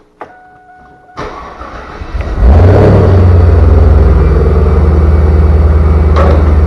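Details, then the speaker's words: 2000 Chevrolet Camaro Z28 LS1 automatic after installing new torque converter bolts to cure a knock: starter whirs, engine fires and settles into a steady, even idle with no knocking; normal idle. "battery died there but hopefully you can tell it is no longer knocking so that by far was the best scenario it could have been"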